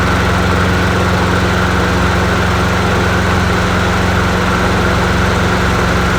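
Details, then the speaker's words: Bolens 22-inch 4.5hp Quantum push mower, a free non-runner, started on a table after priming: steady, even single-cylinder putter with no misses, surging or knocking; runs well, though it needs an oil change. "actually don't sound too bad not bad not bad not bad woohoo"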